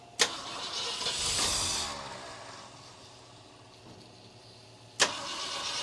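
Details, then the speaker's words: 1966 Ford Galaxie 500 after firing order was corrected, electric fuel pump not delivering: starter spins in short bursts with sharp clicks, engine never catches; crank-no-start. "I'm having a little bit of trouble getting this fuel pump to work. Alright, let's try this one more time."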